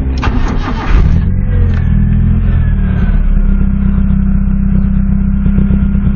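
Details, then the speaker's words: 1993 Nissan Tsuru (red-top engine) that stalled and would not restart, fault traced to a bad ground from the engine computer; catches quickly after a short crank into a steady, even idle; starts normally. "señores este él acaba de arrancar y arrancó muy bien"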